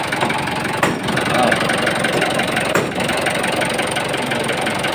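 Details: Mitsubishi 4D34T diesel: a fast, dense, uneven knocking over idle, about three per second. A connecting rod bearing was diagnosed, but on teardown all bearing clearances measured good, so the diagnosis was wrong and the cause remains unknown.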